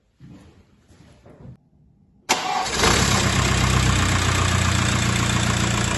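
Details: VW Passat B5.5 1.9 TDI after timing belt and water pump replacement: cranks briefly, catches at once, settles into an even diesel clatter with a regular beat, no misses or knocks; healthy start.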